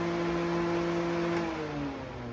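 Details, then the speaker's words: 1985 Oldsmobile Cutlass after overheating, Honda Odyssey fan newly fitted as secondary cooling fan, wired to the old manual switch; smooth steady whir, tone sagging slightly as it runs; fan working normally. "So we'll wire this in and test it out. The secondary fan is all wired up and ready to roll."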